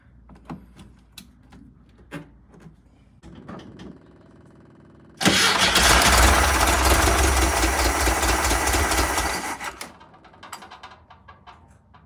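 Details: 1974 VW Karmann Ghia Type 14, previously not starting because the fuel pump wasn't working, now letting the pump run first: a few clicks, then it catches abruptly and runs a loud, busy idle for about four seconds; normal start.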